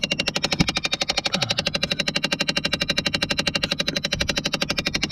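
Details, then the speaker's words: Dodge Caravan under the dash: loud, steady rapid clicking, two or three ticks a second, when the door is opened; the failed blend door actuator for temperature control, mounted high up, before replacement. "so just listen open that door it's going to start clicking insanely loud and there it goes the actuator that has gone bad way up here"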